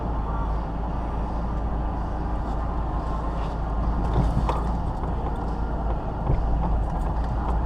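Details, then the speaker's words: Ford Mustang GT (2005–2010) after replacing the front sway bar bushings (Prothane 34mm), driven up and down the driveway. A steady low road and engine rumble with no clunks over the bumps confirms the fix. "Now that we have the bushings taken care of, we've driven the car up and down the driveway, we know that we fixed the right thing because there's no more clunking."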